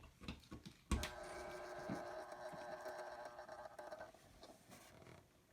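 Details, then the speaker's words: Vintage plug-in 60-cycle 2.5-watt kitchen clock just plugged in: after handling clicks, a faint steady motor hum with a soft high whine, quiet smooth-action running that sounds healthy. "okay kitchen clock at the moment it's pretty quiet you can hear the motor but smooth action"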